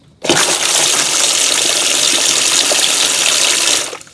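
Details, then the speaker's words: Boat bilge pump run with its hose disconnected: a steady rushing gush of water with no grinding or stalling. The pump moves water normally, so the owner suspects clogged hoses rather than the pump. "So I don't think the problem is the pump. The pump is moving water."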